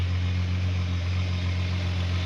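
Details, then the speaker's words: Volkswagen Golf MK3 VR6 at idle just after first start following the 2023 season prep, with new silicone coolant hoses, oil cooler leak seals and an oil change; still cold, with some smoke likely coolant on the exhaust. Deep, steady, even idle with no knocks or ticks; running well. "She's running pretty good."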